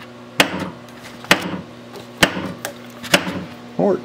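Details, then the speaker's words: Williams System 6 Scorpion pinball with a repaired driver board (bad transistors), in solenoid test: solenoid 14, the knocker, fires sharp single knocks about once a second over a quiet hum, clean and strong: normal. "okay 14 is a knocker"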